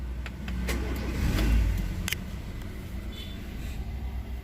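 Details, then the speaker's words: Honda Jazz with check engine light on just after start-up, before repair: idle swells and sags unevenly with irregular low thumps. Rpm hunts and the car stumbles at low speed, caused by a failed idle air control valve. "dan saat jalan pelan atau kecepatan rendah itu rpm nya mengayun sehingga mobilnya tersendat"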